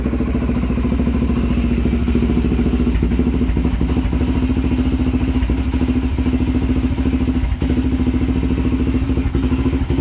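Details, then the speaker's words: 2004 Honda 400EX single-cylinder quad on choke: quick thumping about three beats a second with odd stumble and skipped beat; slight misfire at idle, owner suspects loading up on fuel, unconfirmed. "Seems like it has like a little bit of a miss or something. Might just be loading up on fuel. I'm not quite sure."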